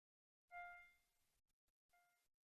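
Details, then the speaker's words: Clean, steady test tones ring out, decay and repeat evenly with no buzz or crackle on a Commodore SID chip tested with a RetroRewind diagnostic cartridge. Normal sound chip output. "I think that all sounds good and it starts again"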